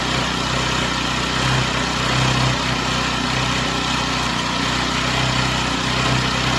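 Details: Chinese Amazon mini bike small single-cylinder engine after first start, on a table: even idle buzz with no stumbles or tapping; smoke stopped, running smooth and healthy.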